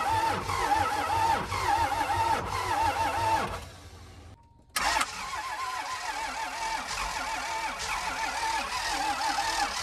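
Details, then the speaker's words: Abandoned motorhome RV diesel after sitting a long time: steady starter cranking with even compression beats that never catch, pause, more cranking; crank no start, fuel suspected not reaching engine. "all right guys we're still going at it it's basically 5 p.m but still nothing we're going to spend pretty good we think the fuel is just not getting there"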